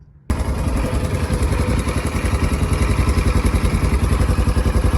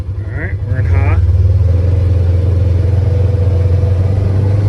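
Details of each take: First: Polaris Ranger 900 XP side-by-side, hard to start with a loud motor noise, fired after oil put down the cylinder on a chilly day; valve clearances suspected: rough fast idle with a light metallic rattle in the top end. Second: Polaris Ranger 900 XP side-by-side after repair, being ridden through the gears: steady, even engine drone with no rattle or ticking; sounds way better and runs great.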